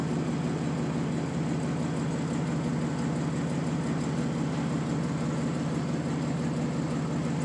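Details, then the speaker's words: Warm idle of a 1994 Dodge Dakota after a new catalytic converter and Flowmaster muffler; steady, even, quiet idle with a soft low exhaust thump, no ticks, rattles or buzz; healthy, earlier buzzing gone. "So this is how it sounds so far when it's idling. Sounds quiet there."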